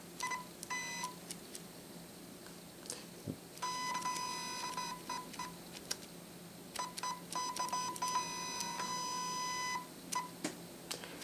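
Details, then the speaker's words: Shanny SN600N flash, zoom head driven in and out in a quiet room: short bursts of thin high-pitched motor whine peaking about 45 dB, louder than Nikon SB600 (~34 dB) and SB700 (~29 dB); normal zoom motor noise. "you see it dumps up to about 45 Debs"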